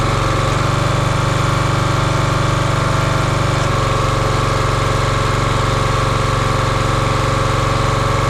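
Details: Champion 27-ton log splitter, 224cc engine, stored outside probably over a year, after a hydraulic fluid leak was fixed by tightening a fitting: steady even single-cylinder chug, no misses or knocks; runs smoothly and sounds healthy.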